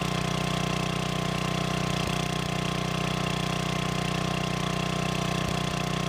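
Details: Old free generator, after adding gas and freeing stuck governor: constant, even hum at steady governed speed, no hunting or surging; voltage output in proper range; normal governed running.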